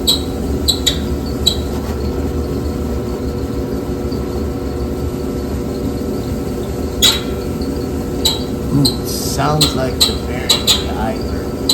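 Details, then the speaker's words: Old Samsung dryer running with clothes loaded: sharp high squeaks chirp about every second over the steady tumbling rumble; squeak heard before disassembly to diagnose, cause not yet found. "should we put clothes in it get some closer in there cuz it'll start squeaking right away [Music] should be stop it [Music] g there it goes they're squeaking"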